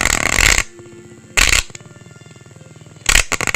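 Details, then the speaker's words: Orion R545A radio, AM band during alignment, signal generator uncoupled: harsh angry growling bursts with rapid pulsing buzz, no station at any tuning; receiver fault, owner suspects tuning capacitor misaligned or plates touching. "all i'm getting is either nothing or a very angry ugly sound like you can hear right now"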